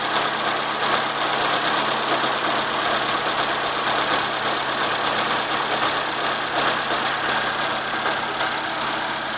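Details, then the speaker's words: Corsa 1.0 8V VHC at idle: a fast, light knocking over a steady idle with a constant belt whine. It begins at startup, stops after about 2 seconds, then returns. It stops when the alternator belt tension is released. A swapped alternator and new tensioner didn't help; main bearing suspected. No oil loss, overheating or smoke. "bom queria mostrar aqui para vocês um barulho no motor do corça 1.0"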